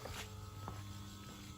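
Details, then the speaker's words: 6.0 Powerstroke 600HP crate-engine Ford Excursion build: faint steady electric hum as the fuel pump primes and runs normally; PCM still not communicating via OBD2. "As I hear that, the fuel pump is now on. Fuel pump is running."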